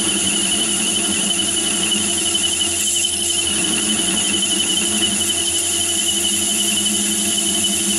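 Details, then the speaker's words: Myford ML7 lathe with 125 mm chuck taking a heavy cut in aluminium: continuous high-pitched ringing squeal; chatter likely from heavy chuck overhang, radial free-play and movement on the spindle thread. "and you can hear the vibration on that car that's about 50 to 60 cell car [Music] [Music] hmm so that last cut was 110th hour overall and you could hear it chattering there with that one"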